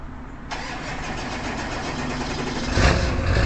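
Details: Early 1999 Ford F-250 diesel cold start at 34 °F, then high idle with the exhaust back-pressure valve closed: catches after half a second, steady even diesel clatter at idle, loud whistling from the closed EBPV; healthy cold start.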